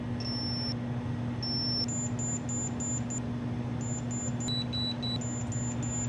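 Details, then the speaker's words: Commodore 64 logic probe test with cartridge booting: short high beeps hop between pitches pin to pin over low mains hum; the higher, differently changing tone marks a pin on the failing chip, to be replaced. "that one sounds high so that's different it's changing as the cartridge is trying to boot up the computer right changing in a different way"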